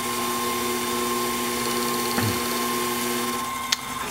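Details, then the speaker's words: Lathe turning a rough gear blank to intermediate diameter for an orrery gear: steady even cutting hiss with constant high ring, no chatter or rhythmic catching, as the out-of-round blank becomes round; normal consistent cut. "so you'll hear that for a while until we get the gear into a rounded shape and then it will make the more conventional cutting sound"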